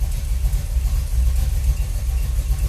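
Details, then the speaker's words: V8 with rebuilt Holley 4150 double-pumper carb, idle mixture screws set 1.5 turns out: deep, lumpy, slow rumble with uneven pulses; idle has sagged to about 600 rpm, too low. "okay, it's idled way down. So this is only at like 600. That's part of my problem."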